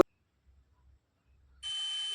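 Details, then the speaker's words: Inductor coil checked with a multimeter on continuity: silence as the probes go on, then a steady, high, continuous beep holds, reading 18 ohms; normal continuity beep, the coil is good. "इसका देखिए, जो प्रतिरोध है वह 18 ओम है और इसमें देखिए बीप की आवाज़ आ रही है।"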